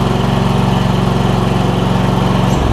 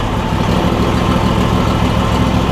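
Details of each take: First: John Deere E140 lawn tractor with a newly swapped-in Briggs and Stratton V-twin engine: slow, slightly loping idle pulses that shift briefly with throttle; idle set a little low, to be adjusted. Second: Replacement Briggs and Stratton V-twin on a John Deere E140, unrun for probably at least three years, at idle: low, even, steady pulse without knocks, misses or hunting; slight smoke, owner suspects oil in the muffler; normal idle.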